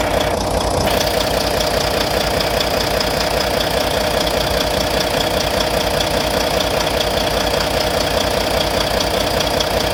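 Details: Volvo VNL D13 diesel idling after injector replacement; crisp regular tapping about 150 per minute over the idle; owner suspects lifter noise, cause unconfirmed.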